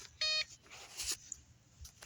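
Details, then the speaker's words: Homemade off-grid solar test rig with inverter and battery, about 288 W load with voltage sagging: one short sharp beep as the second bulb switches on, then the inverter cuts out on overload. "let's shut it off cuz it turned back on it was an overload"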